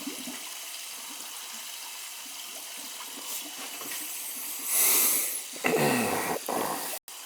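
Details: Boiler leaking water, bad expansion tank: quiet hiss then gurgling rush of air and water spitting for a couple seconds while purging trapped air from the hydronic heating loop.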